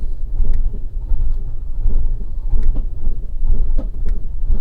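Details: 2011 1.2 Lounge Copart project car connected to a diagnostic tool: the engine idles unevenly with a lumpy, stumbling beat and irregular dips, sounding like a misfire. The cause is suspected, not confirmed.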